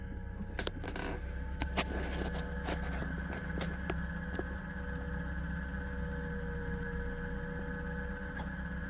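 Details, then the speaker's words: Cape Dory 25 sailboat converted from diesel to an Elco 20 hp electric motor on 48V batteries, running in reverse on the mooring at about 500 RPM: steady faint hum with constant high whine and a few stray boat clicks; normal smooth electric motor running. "So, this is the motor. I've got it running. Um, right now it's running at about 500 um RPM. It's running in reverse because I'm on the mooring and I just wanted to show the motor running and also so you can hear it."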